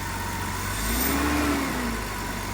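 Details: BMW 330i, 18 years old, sat nine years unstarted; after new battery, fuel pump and sending unit. A single clean blip, revs climb smoothly and drop back to an even idle; engine sounds healthy.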